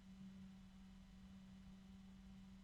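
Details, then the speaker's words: Noiseblocker NB-Multiframe M12 fan running near 2,000 RPM alongside a Noctua NF-A12x25 at same RPM: steady low hum, smooth even air rush, no rattle; noticeably quieter, healthy fan at full speed. "two fans at the same RPM and the noise blocker is much quieter I can still hear it but there's a definite difference"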